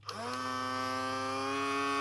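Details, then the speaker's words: Cheap toy mini sewing machine, plugged in and switched on: small motor spins up with a rising whine settling to a steady hum, but nothing drives, no needle clatter; owner suspects a stripped belt or broken plastic drive gear, something jamming. "Oh, nothing's driving. Oh, okay. That runs through that, [Music] too. I think it's either stripped a belt or it's probably a plastic drive gear that's broken and it's not going right through its cycle."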